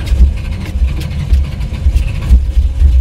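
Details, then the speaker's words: 1985 Chevrolet C10, ZZ4 350 V8, carbureted, cold at about 45°F: deep lumpy rumble surging and sagging, struggling to idle without throttle; owner suspects distributor problem. "it's going to take her a minute to get the word of idle and run without me holding the throttle but when it's on my daddy's Tru over there cranks up and idle's perfect don't have to play with it or nothing so pretty sure something up with my distributor"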